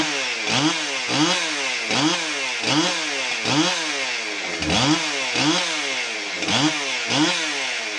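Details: Husqvarna 372XP chainsaw after stop switch replacement, test run: throttle blipped about every 0.6 seconds, sharp rise in pitch then clean drop back to steady idle, no stumbling; normal running. The original complaint was needing the choke to stop the engine.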